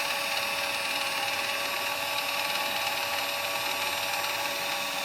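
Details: 2020 Mitsubishi Outlander 4WD (North America) rear electric parking brake, full release commanded for pad/rotor replacement: even high electric motor whine holding one pitch several seconds as caliper retracts; wheel then turns freely, normal release.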